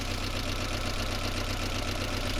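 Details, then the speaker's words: 1992 Toyota MR2 Turbo, 3S-GTE with twin-entry turbo, Japan auction car with minor oil leak: idle hunts slightly unevenly with light top-end ticking; valve lifter adjustment possibly needed, unconfirmed. "I believe that in order to get this engine running fine, it's not going to be an awful lot of work. Valve lifter adjustment may be needed, or just running it if it runs th"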